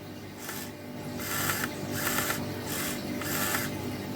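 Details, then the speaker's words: Used white Sony PSP 1000 with working battery, at power-on: ratchety grinding bursts about every half second from the UMD drive, which the owner assumes is the laser head, moving at switch-on; cause unknown. "So you can hear that. It is doing something when you first switch it on."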